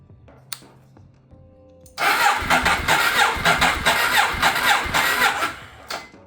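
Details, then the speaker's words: Ducati 848 at its first start after a rebuild, with new plugs and airbox refitted: clicks, then about four seconds of rapid cranking that never catches; owner suspects a low battery, and it later starts briefly. "Okay. Maybe just low on battery. Okay. Sounds like it wants to. It's almost there."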